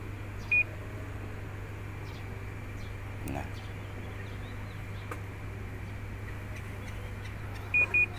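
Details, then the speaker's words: Panasonic washing machine that won't spin dry: a quiet hum with a single short beep, then a quick double beep several seconds later. This is the U12 alarm, attributed to a faulty lid switch. "มีครับอ่าดีขึ้นu12ครับมีอาการขึ้นu12ของPanasonicนะครับอ่าจะเป็นอาการของสวิตซ์นะครับ"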